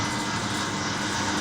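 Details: VW Saveiro 1.6 16v: dense metallic clatter over a steady idle, like a loose timing chain; dipstick showed no oil, engine takes 4 litres, oil starvation suspected, nearly destroyed engine.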